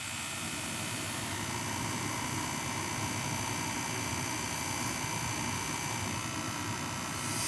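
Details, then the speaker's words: Gas boiler with a no-heat complaint: steady, even burner roar with no cutting out or sputtering; it fired up about five times in a row after the B1-B2 terminals were jumped, likely a loose connection. "come on down might have been a loose connection fired up like five times in a row"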